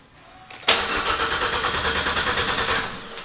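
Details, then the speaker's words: Dallara with swapped Fiat 500 Abarth engine, cranked from the back of the car: starter cranks evenly about three beats a second, never catches; code and noid light show no power to all four injectors, not the fuse, possibly a ground. "got nothing so what it's telling me here is is that I don't have any power to my injectors so I don't have any power to the injectors now and it's all four of them and it's not the fuse"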